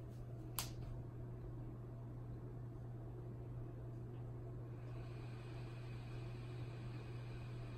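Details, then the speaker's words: Lenovo IdeaPad Yoga 11S laptop after installing Linux: steady low fan hum at one pitch with no drive activity; fan stuck at full speed, no display, never boots and BIOS unreachable. "basically you hear the fan running at full speed nothing on the display and it never boots nothing ever happens other than the band just staying on the entire time"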